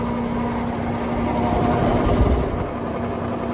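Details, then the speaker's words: Outdoor AC condenser, unit reported not running, during dynamic dual-capacitor test with system running (393 V compressor, 6.7 A); steady low hum with rough labouring drone and slight wobble; condenser fan motor failing, later replaced. "like the fans gonna die anyway let's test test capacitor components right now dynamically with the system running"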